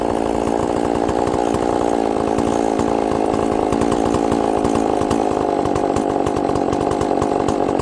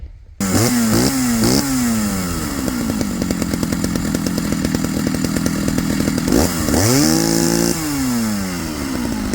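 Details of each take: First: Chainsaw with good compression, running after a little fuel on the bottom: a steady, even high-revving two-stroke buzz with no stumbling or surging. It runs clean, but the diaphragms are probably hard, so it will need adjusting. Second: Chainsaw being carb-tuned after earlier running at a different temperature: blips, then holds a steady burbling high speed rather than a clean crisp scream; running rich on top, high-speed screw to be leaned out slightly.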